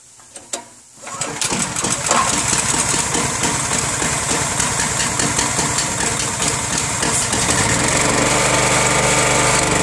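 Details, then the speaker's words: 15-year-old Generac 3500 PSI 4 GPM pressure washer with Honda engine, unused 2 years on Stabil-treated gas, then refilled with fresh treated gas and float bowl drained. Started with choke on, low throttle, trigger held: catches first pull, steady, even run. "it always cranks up on the first pole for 15 years it hasn't changed cranks right up on the first pole and just function properly like it's supposed to all the time"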